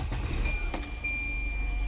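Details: Volvo 740/940, idling: a steady high-pitched whine from the main fuel pump under the car below the driver's seat, fitted two years ago. The in-tank pump isn't running, so the main pump is overloaded; the car loses power under acceleration.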